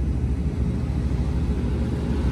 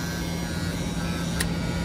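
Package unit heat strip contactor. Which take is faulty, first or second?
second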